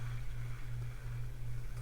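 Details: Penn Slammer III 6500 spinning reel that sang when cranked fast, after the rotor was removed and reassembled: low, even whir with a steady rotational pulse and no singing tone; the reel now retrieves quietly.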